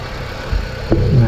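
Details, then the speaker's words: 2006 Honda Civic FD 1.8 hydraulic power steering pump just replaced, belt on, Honda fluid refilled; whine heard at first start was air from draining, now low steady idle with no whine or moan from the pump; normal. "เงียบประมาณนี้นะครับหลังจากเมื่อกี้ที่ลองสตาร์ทเครื่องนะครับ"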